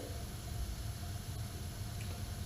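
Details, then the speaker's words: AO Smith 30-gallon natural gas water heater, which was shutting off after about two minutes, suspected from a gas-leaking pilot tube lowering thermopile voltage: main burner lights after about 30 seconds with a steady low roar and faint hiss; normal burner operation. "so that sounds like it should be good Solid thermal power voltage going on"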